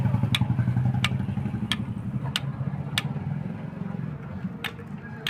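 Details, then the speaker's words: Motorcycle engine opened, connecting rod rocked by hand: sharp metallic clicks about every half to three-quarters of a second; crank rod big-end bearing completely worn with excessive play, rod and crank side bearings to be replaced. "इसकी जो crank rod की जो bearing आती है पूरी तरीके से खराब हो चुकी है इसका रड भी नया डालेंगे"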